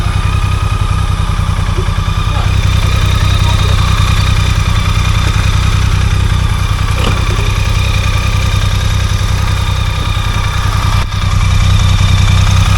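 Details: BMW K75 three-cylinder motorcycle, running after a stuck starter sprag clutch was freed: a smooth, even low thrum that holds steady with no knocks or misses. The engine runs healthy, though the battery is now flat.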